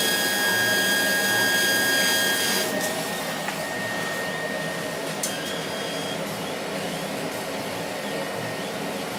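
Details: Laser cutter tube whistle from bad cooling water: a thin steady high whistle over the cutter hiss while cutting. It appeared after about six months of operation and comes from the beam at the nozzle exit, not air assist. Current rose 12→13 mA, with no uncut spots.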